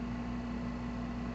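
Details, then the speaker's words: Vintage Hankscraft 240/241 humidifier motor after full cleaning, maintenance and oiling; very quiet, even low hum with no rattle or scrape, how a well-maintained unit should sound. "is so so quiet this is what they should sound like if they're well maintained"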